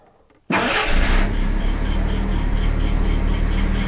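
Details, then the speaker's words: Jaguar XJC with Stromberg 175 carburettors, after adjusting water chokes and choke fast idle around 1000 rpm: fast idle with a faint steady chirping whir from an idler pulley needing a look; no lean backfire. "the sound you're hearing is uh an idler pulley I need to have a look at"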